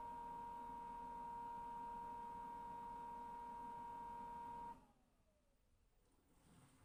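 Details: Brand new LG FWY606WWLN1 washer-dryer whining while drying: a steady high whine near 1 kHz over soft fan rush, falling in pitch as the fan winds down; owner suspects the noisy drying fan, unsure if normal or a fault.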